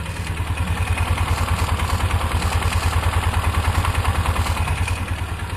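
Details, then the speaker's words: 2003 Polaris Ranger 4x4 500, third run after replacing leaking cam chain tensioner seal and gasket with RTV: even, regular low thump about three beats a second, no ticking or clatter; healthy idle, no oil leak anywhere. "Okay, it's the third run on the motor. No oil leak at all anywhere yet."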